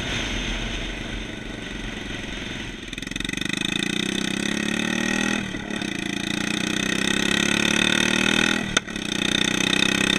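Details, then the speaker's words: 150cc shifter kart single-cylinder engine on its first test drive: ragged revving with brief stumbles, running lean. "so foreign you can really hear how it's running lean"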